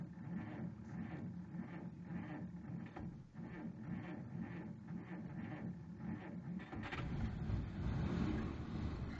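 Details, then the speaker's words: 1947 Dodge just started: rhythmic scratchy chirping about twice a second over low idle hum, easing off; heater blower motor screeching briefly at startup. "Oh, that noise is the blower just screeching for a second. It'll stop in a second."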